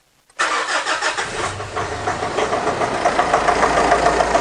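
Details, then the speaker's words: Mitsubishi Triton 4D56 with intermittent overheating, first start of the morning with a coolant pressure tester fitted, white exhaust smoke: brief crank, then uneven, lumpy rough running from a failed EGR cooler leaking coolant. "And the engine's running quite rough too. And when I first started it this morning, there was quite a large amount of white smoke pouring out the exhaust."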